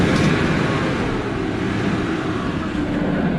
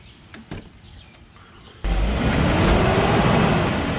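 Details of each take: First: BMW E39 540i on the test drive after a whole driveshaft replacement, done because the driveshaft bearing was leaking: steady, even road and drivetrain hum with no clunks, whirring or shudder, running smooth. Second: BMW E39 540i put in drive: loud rumbling drone with a slow wavering whirr, from a worn, leaking driveshaft bearing; whole driveshaft to be replaced; driveshaft noise.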